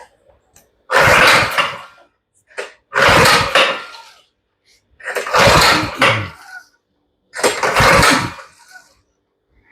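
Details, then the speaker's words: Baja (thought Coleman) 200 minibike with Predator engine, starter fluid added, choke off, fuel off: four separate bursts of cranking, engine never fires; crank, no start, old spark plug suspected, not confirmed. "And we got nothing. So we're going to take the next step and put a new spark plug in it."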